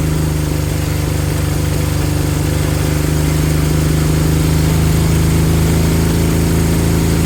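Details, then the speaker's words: Honda CB200 twin after cleaning fuel tap, low fuel flow suspected cause of intermittent running: smooth even idle with steady low hum, no stumbling or hunting; idle perhaps set slightly low; engine idles healthy. "but I gave the tap a clean the second fuel flow was was better idit yeah probably went a little bit too low huh right I want it to idle for a good 5 to 10 minutes"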